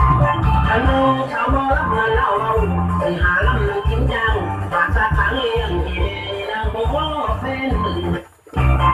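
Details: Amplifier that a customer says gives no sound on one side; its output transistors had been replaced with large bipolars. Music comes out harsh and hoarse with gritty breakup. The output is distorting.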